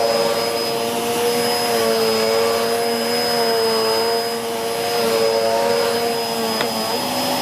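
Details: Hoover Whirlwind Pet WHS2102 001 2100W bagless upright vacuum, bought 2013, belt refitted after storage, vacuuming carpet: steady high motor whine with constant pitch and even airflow rush, no rattles or surging; normal running.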